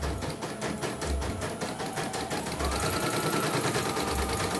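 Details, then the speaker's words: CNY embroidery machine from Demak, complaint of abnormal speed and erratic bobbin, after replacing bobbin case and belt: quick even clatter about three stitches a second, smooth, no catching or knocking; normal stitching. "Oke, kita jalankan saja ya. Untuk melihat hasilnya. Normal ya."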